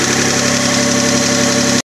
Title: Spun Bearing?